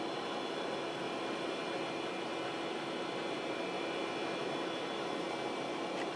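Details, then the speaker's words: Replacement hard drive in long-stored 486-class Packard Bell PC spinning up: quiet steady spin, soft even hum, faint hiss, no clicking or scraping; normal running. "Listen to that drive part like a boss."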